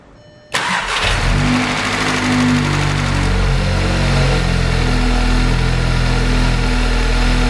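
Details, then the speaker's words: VW Golf R engine swapped into an Audi S3, started with water in the cooling system for leak checking: cranks briefly, catches cleanly, settles to smooth even idle with no knocks or misses; normal start and idle. "thank you well she is sounding sweet to be fair I've just stuck another 500 mL of water in and we're looking good"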